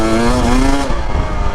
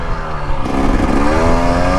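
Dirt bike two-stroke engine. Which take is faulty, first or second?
second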